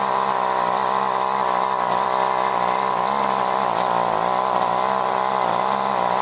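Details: John Deere BC1600 two-stroke trimmer (Zama H46 carb), unused for years, cold start on fresh mix: steady drone at one speed with small sagging dips, never climbing to full scream; not reaching full revs, owner suspects goop in carb.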